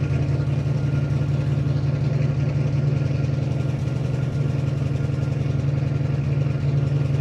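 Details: 1957 Dodge Texan, sat dormant since July 2023, first start: low, lumpy rough idle with uneven beat about 170 per minute; carburetor squirting from only one jet, suspected huge vacuum leak from body loose on carburetor base.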